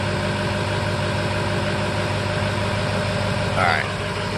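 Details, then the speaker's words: 2005 Ford F-350 6.0 Power Stroke diesel V8 with a history of rough cold starts and bucking in 5th; cold start (not very cold) after adding Archoil AR9100, settling to a steady, even idle with a brief chirp near the end. "you know it's not the coldest of a cold start obviously but that worked pretty damn good"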